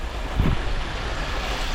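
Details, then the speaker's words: 2018 VW Jetta 1.8T that runs terribly on cold start: deep, lumpy, surging, misfire-like idle before the cam adjuster (VVT) solenoid magnet is unplugged; a failing adjuster solenoid is the fault. "Okay, so it's running terrible. Let's unplug the magnet."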